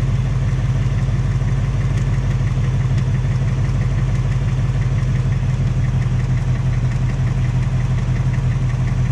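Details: 2018 Ford Mustang GT, second engine at only 1200 miles, steady V8 idle with a faint light tapping roughly one per second; top-end or piston noise suspected, possibly piston slap or Coyote tick; Ford installing a third short block.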